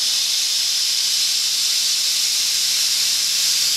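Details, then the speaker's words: Boiler safety valve on steam, blowing down to about 60 lb before reseating, still being adjusted: loud steady high-pitched hiss of steam venting without letup; safety valve blowdown. "getting ready to seat down let's see we're probably oh down to 60 lb right now"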